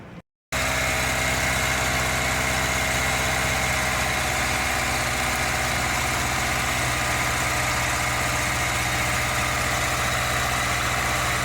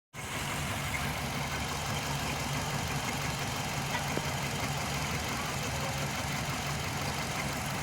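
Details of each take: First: 2005 Hyundai Matrix, after injection corrections for P0302 cylinder 2 misfire with check engine light; low compression from worn rings: steady, even idle, smooth unbroken rumble, no misses; runs cleanly, light off. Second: 2005 Hyundai Matrix with intermittent check engine light and code P0302: the idle is busy with a faint uneven stumble from a cylinder 2 misfire. Plugs 2 and 4 read white, the injector was checked, and correcting the injection fixed it.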